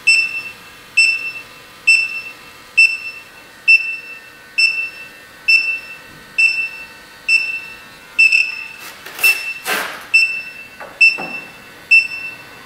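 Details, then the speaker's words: 2005 Chrysler Pacifica after A/C condenser replacement and 1.81 lb refrigerant charge: electronic leak detector at connections gives steady high beeps about once a second that never speed up; no leak found. "I think we're good there triggered off so it's pretty sensitive if there was any leakage there this thing would have went bananas"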